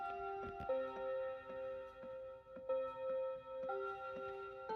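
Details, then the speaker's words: Mantel clock converted to Seiko quartz movement with electronic Westminster chimes, at 3 o'clock: clear bell tones step through the tune about once a second, evenly spaced; chime working as it should. "You've just joined us at 3 o'clock, so it's chiming away happily now."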